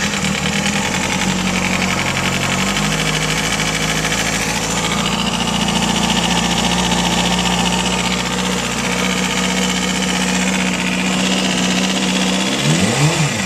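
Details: Zx6 motorcycle idling with a light, quick top-end ticking; the owner suspects the valves but is not sure.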